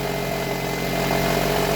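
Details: Toyota RAV4 after its no-start fault was fixed: an even, steady idle hum with no misses, knocks or hunting over two seconds, so the engine is idling smoothly.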